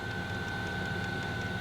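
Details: Diesel parking heater newly installed in a Dodge Journey conversion van, fed from a one-gallon tank: steady, even fan hum with a faint thin whistle and soft, regular pump ticks; normal running.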